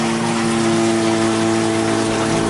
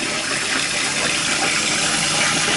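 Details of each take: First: Toilet cistern refilling after flush: loud steady droning hum over rushing water lasting until the tank is full, from a worn 32mm float valve diaphragm washer, noisy for months. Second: Toilet cistern after replacing the float valve diaphragm washer, which fixed months of loud noise after flushing: steady hiss and rush of water refilling the tank, with no hammering or humming. Normal, quiet refill.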